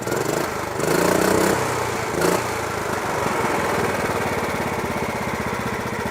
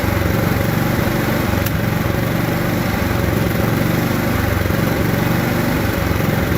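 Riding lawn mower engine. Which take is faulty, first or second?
second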